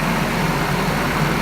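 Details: Nissan KA24DE four-cylinder running after replacing the ignition switch to cure a starter click no-start; smooth, even idle with a steady low hum and no misses, knocks or ticking, running healthy, no check-engine light.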